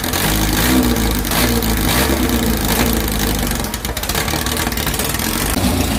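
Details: 2332cc air-cooled VW bug (Dust Buggy) after cleaning carbs and setting mixture screws: revs up and drops back cleanly, fairly steady beat, no stumbles; normal running.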